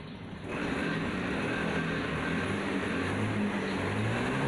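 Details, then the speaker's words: Honda Scoopy fuel-injected scooter that bogged on sudden throttle, after the fix of wedging with a piece of old fuel hose. It holds a steady, even note with no stumble when blipped; the bogging is gone. "oke teman-teman ternyata berhasil ya penyakitnya yang tadinya ngempos di itu sudah hilang ya teman-teman"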